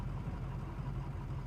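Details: Engine at idle while exhaust back pressure (EBP) readings are monitored: a low, deep idle that wavers and surges unevenly. Rough, fluctuating idle, cause not yet determined.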